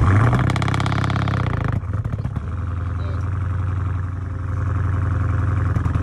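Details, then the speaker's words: 2018 Dodge Charger R/T, 5.7-liter V8, started after sitting for years: deep, loud rumble with a raw, unmuffled bark at idle; muffler and resonator removed or straight pipe suspected, not confirmed. "i'm pretty sure this car got a muffler delete because the way this [ __ ] was sounding it probably got a muffler resonator probably got all that [ __ ] cut off probably straight pipe or some [ __ ]"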